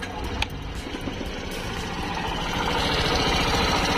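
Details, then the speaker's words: Suzuki Burgman Street EX 125 scooter, engine hot, after valve adjustment: steady even idle with only a light quick patter, loud exhaust-area clicking now greatly reduced; normal idle. "Menurut saya, sekarang sudah oke, sama seperti sepeda motor otomatis standar."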